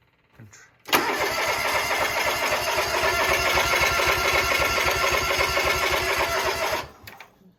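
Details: John Deere lawn tractor after an oil and filter change. A fuel leak was cleaned up, but fuel is still leaking. The starter churns at an even, quick rhythm for about six seconds and stops without the engine catching.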